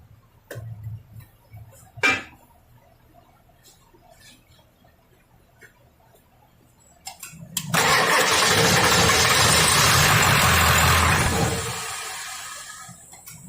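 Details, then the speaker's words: Ford 7.3L diesel with a P1211 code, which previously ran 4–5 seconds, lacked power and stalled with low fuel pressure, now after repair work and an oil change: cranks briefly, catches firmly and runs strong and even; starting much better. "I'm not I'm not even going to tell you no lie that's it's starting up a lot better"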